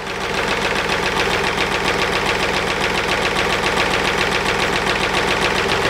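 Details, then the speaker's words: Mercedes Smart Fortwo 451 2010, 0.8 diesel, idling after fuel filter replacement (MAHLE KL-165/1): steady even clatter, no stumbling or hunting; fuel system not airlocked, otherwise the engine would stall; a loose plastic clip lets the diffuser rattle. "Все, система не завоздушена. Если бы был воздух, дизель бы уже заглох."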